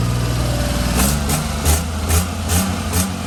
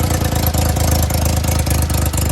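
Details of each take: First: HiJet mini truck after head gasket, timing belt and water pump replacement, coolant test with water showing no bubbles: steady low idle with a few brief louder pulses, otherwise even with no knocks or misses. The engine idles normally. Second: Daihatsu HiJet mini truck after head gasket, timing belt, water pump and valve cover gasket work, idle turned down: quick regular ticking puffs over low idle in step with firing, from an exhaust leak where the exhaust pipes meet up.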